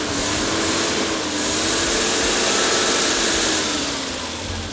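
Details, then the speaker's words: Nissan GQ Patrol after mid-trip maintenance: starting, then revving up and easing back smoothly, pitch rising and falling evenly with no misses or knocks; running better than ever, healthy. "good. Starting, stopping, revving. Yep. Smooth. It's ready to wheel."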